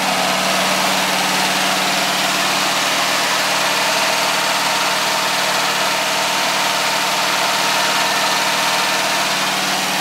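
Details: VW air-cooled flat-four, a little cold, after sealing an exhaust leak near #2 port, baffle fitted, valves adjusted the day before: steady idle with light uneven ticking, a little pop from 3-4 side tappets; owner thinks it's OK.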